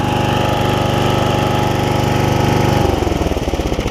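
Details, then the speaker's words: Customer's mower, blades off, previously surging badly, with a leaking carburetor bowl worked on: started without choke, it fires evenly at a quick idle with no cutting out or surging and runs smooth after repair. "See if it'll just crank without any choke. Here it's running pretty good now."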